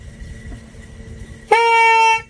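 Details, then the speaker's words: Ninja RR old (CBU) HSAS reed valve blown through by mouth: a good membrane gives one clear, steady trumpet-like buzz under a second, like a carb fuel membrane; it vibrates and seals properly. "itu barusan saya tiup ya ini saya tiup nih membran yang bagus seperti itu dia bisa bunyi bisa bunyi trompet kayak membran karbu membran bahan bakar juga kan kalau ditiup kan bunyi kayak gitu"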